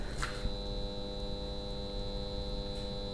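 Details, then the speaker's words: AEM water-methanol injection kit on a supercharged Dodge Viper GTS ACR: thin, steady electrical buzz with a high whine from the pump when the system is armed and not spraying; the instructions say to power down and run the test if it buzzes. "donald's camera's picking it up but there's a buzzing coming out of there and this instructions specifically say about that at least the online ones do"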